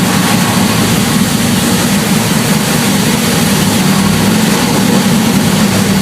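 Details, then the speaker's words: Jon Kaase 520 CI Boss 429-style big-cam V8 on a 460 block, freshly built, first dyno pull under load; deep, steady, powerful roar with an even rhythm and no knocks or ticks, shaking the building; healthy. "Oh man. Really good. This is shaking up the building. This is nice."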